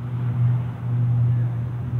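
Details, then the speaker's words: Loud steady low hum carrying from far off, level swelling, with the night sky glowing bright; later found to be a utility transformer exploding/faulting in Astoria, Queens. Transformer fault hum. "it's making a real loud humming noise I don't know what this is but it's definitely gonna be in the news today"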